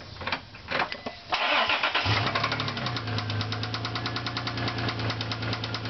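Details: 1999 Isuzu Amigo S 3.2 L at idle: sharp knock about four times a second from inside the engine; owner suspects rod bearing or valve, unconfirmed.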